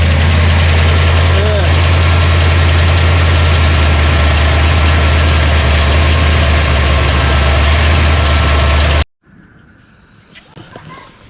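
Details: Ford Mustang 302 HO small-block V8 budget build after flooding (stuck carburetor needle and seat, fuel pump left on); now running way more happy: steady, even low idle rumble with regular beat, no ticking, healthy.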